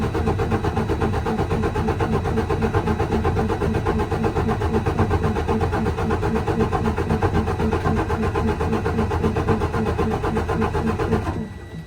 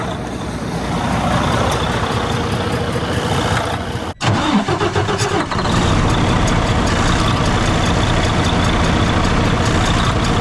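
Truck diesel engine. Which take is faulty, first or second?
second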